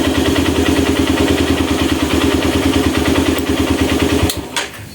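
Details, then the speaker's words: Honda Mega Pro mono with slow-returning revs, confirmed caused by an air leak. After the fix, revs drop back promptly and an even single-cylinder putter, about three beats a second, holds steady without hunting until switch-off. "ya tuh kan turunnya enak ya tadi itu gasnya enggak mau turun mas bro ya Jadi turunnya itu lama sekali oke sekarang turunnya sudah enak ya Mas Bro ya jadi memang benar ada kebocoran angin"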